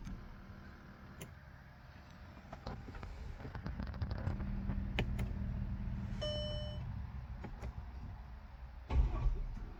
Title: 2011 Mercedes GL350 Half crank and no start. Please help.